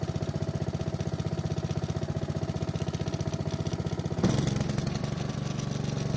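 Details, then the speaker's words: Honda mower after addressing a fouled spark plug, old gas and dirty air filter (old filter reused for this test); still hard to start but no black smoke now; even, regular putter picking up smoothly. "So it was still difficult to start, but once it did, it didn't blow any black smoke out of the muffler, so it looks like we took care of that issue for the most part."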